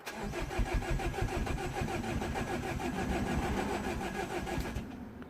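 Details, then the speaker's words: Citroën DS3 1.6 VVT (5FS engine), crank no start after head replacement following broken oil pump or timing chain: steady brisk starter cranking for about five seconds with no firing and a puffy noise from the exhaust; low compression. "so literally it's just cranking and it doesn't do nothing I heard a puffy noise coming from the exhaust which is now very not very good"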